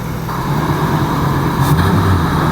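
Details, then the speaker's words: Ford Mustang Mach 1 V8 revived after sitting under a tarp: deep, even idle burble with a slight supercharger-like whine on top, no knocks or misses; idling smoothly and healthy. "Oh. Dude, this thing sounds like a supercharger."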